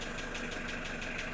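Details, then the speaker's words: Engine at idle: sharp, regular knocking about five raps a second above the steady hum; sounds like a connecting-rod knock, but the rods were inspected and ruled out; origin unknown. "Стук похож на шатунный, но это не шатунный нифига, потому что шатуны я себе скрывал, смотрел."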